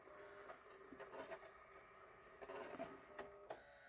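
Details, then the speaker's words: JVC 5-disc CD changer, previously heavily jammed, skips past the disc without reading it (also with a pressed, not burned, disc): faint whirring with scattered clicks and clacks as the mechanism shuffles without settling to spin; no disc read, cause suspected, not confirmed. "Nope. It's dumb. It It sounds like it wants to spin it now. Now it's doing something different. Play. Will you play? No. No disc."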